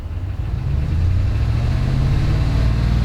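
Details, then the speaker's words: Dodge Ram V8 revved from idle: lumpy running with uneven clacking as cylinder 7 (bank one, rearmost) misfires and runs rich; worn cam, quiet at idle, misfire counter rises with revs. "you hear the clacking there's the misfire now see the problem is number seven is on bank one that's running rich"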